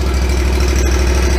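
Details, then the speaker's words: Exmark mower with carbureted engine after a cold start, choke now off: steady, even low putter with no misses or surging; normal idle. "now we're idling the engines running pretty smooth so that was a cold start"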